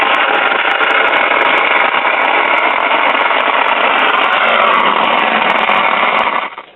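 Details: 1951 Silvertone 5-tube radio with the output IF transformer defective: harsh, constant thunderstorm-like crackling hiss with no program audio, as leaky internal mica capacitors put a high positive voltage on the secondary.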